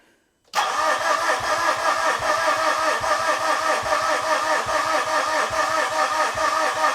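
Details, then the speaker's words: 2013 Mitsubishi FUSO FG 4P10 diesel with CP4 high-pressure pump: steady starter cranking about two and a half turns per second with no catch; fuel pouring from a leak is bleeding off rail pressure, owner suspects cause of no-start. "Well, that's interesting. That fuel is just pouring out of there and I had absolutely no clue."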